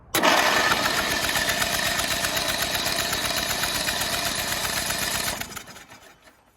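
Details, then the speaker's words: Rusty Craftsman LT2000 riding mower on booster pack: starter spins the engine at a quick even chug, about four beats a second, for five seconds, then stops without firing; cranks but no start. "Well, the good news is it cranks. The bad news, that means I gotta extract these damn things."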